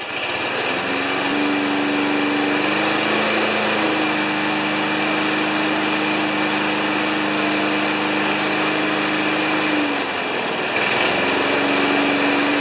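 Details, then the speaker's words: 1992 Wedgefield Briggs & Stratton Classic walk-behind mower, full throttle with the settable rpm lever set to about 3360 rpm maximum (target about 3100): steady, even high-speed drone with a brief dip near the end; normal governed full-speed run. "all right so i don't know if you saw that but we set the rpms to 3360 on maximum because it's a settable rpm lever"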